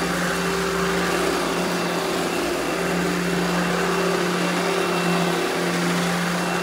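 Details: Eureka The Boss Smart Vac upright vacuum, model 4870 type GZ, bought secondhand, belt replaced; switched on for a demo: steady motor hum with even airflow rush, constant tone, no rattle or belt slap; normal smooth running.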